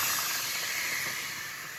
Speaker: so yeah the frothing wand just underneath the surface of the milk should off to the side should start spinning in a nice Vortex and you can see the temperature going up the green area